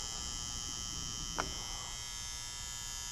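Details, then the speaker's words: Garage furnace fan control center transformer, reading 24–28 volts: steady high electrical buzz with one sharp click as a part is moved. Transformer internal plates suspected bad; whole fan control center to be replaced. "what happens inside here a lot of sometimes is the plates inside this transformer will go bad."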